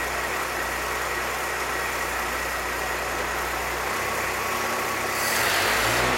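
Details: 1966 Chevrolet C20 with Chevy 292 six after first start: low, steady, even idle with no misses or knocks. Idle mixture set with vacuum gauge; vacuum about 17, owner hopes it rises as rings seat in. Normal idle.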